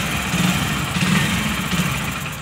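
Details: Hero HF Deluxe BS6 motorcycle, single cylinder: idle rpm surges up and falls back repeatedly. The cause is an air leak from a detached rubber intake hose, which was refitted.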